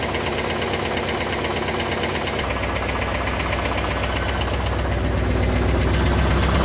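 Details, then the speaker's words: Chevrolet Camaro IROC engine at idle, mic near the engine: busy fast ticking at about four per second, with a heavier clack underneath keeping time. It sounds like a knock beneath the valvetrain tick. "This thing sounds like a clock factory going off inside. There's so much ticking and clacking going on. But try to listen in for that clacking noise that you're going to hear underneath the ticking, because it is there."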